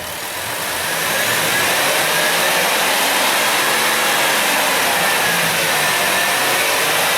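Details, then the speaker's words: High-mileage 2008 Dodge Grand Caravan with a replacement 3.8L engine, warm at 195°F with hot hoses: a steady, even idle under a smooth airy hiss, with no knocks, misses or surges. Fuel trims look good; normal idle. "yeah fuel Tri stuff looks good sitting here at a idol"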